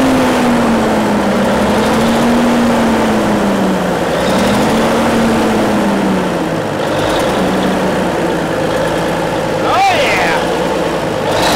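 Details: 1950s Euclid off-road truck diesel after sitting 10+ years, just restarted: keeps running on its own, drone wavering up and down a little as throttle is worked; manual fuel solenoid override engaged; normal running.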